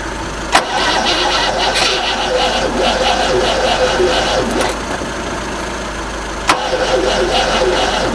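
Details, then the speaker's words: Rover SD1 with later 14CUX EFI system fitted, jump-started: long steady cranking around three turns a second, no firing and no pump hum; fuel pump not being triggered by its relay. "I'm really not sure any fuel's coming up. I can't hear the fuel pump."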